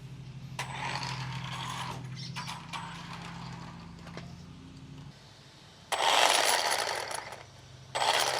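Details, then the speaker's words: Traxxas Rustler 4x4 RC truck after spur gear replacement, transmission cover off: small electric motor whirs under an uneven scraping grind with harsh rasping bursts; owner suspects grub screw rubbing the spur gear, slipper clutch possibly loose. "Okay. Here it goes. Also It's running all right, but it is making a funny noise, I think."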